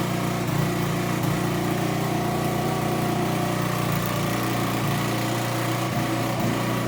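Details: Aprilia SR50 Purejet scooter, Piaggio two-stroke, after rebuild with new crankshaft and original cylinder and piston refitted, running a steady, even buzz at constant pitch with no misses or knocks; healthy, now reaching 9000 rpm versus 6000 before.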